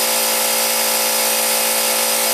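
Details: Harbor Freight 125 psi compressor, discontinued model, on two parallel run capacitors replacing 140MFD original: loud, steady high-pitched motor and pump drone, no stumbles or knocks; pumping up normally toward 125 psi cutoff, just noisy.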